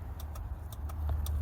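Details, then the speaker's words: 2001 Ford Expedition no crank, starter solenoid problem, after replacing a 15 amp mini fuse, which blew again; grounding or battery terminal connection suspected. Sharp irregular clicks, about seven in under two seconds, over a low hum; engine never turns over. "Then we get this clicking down here."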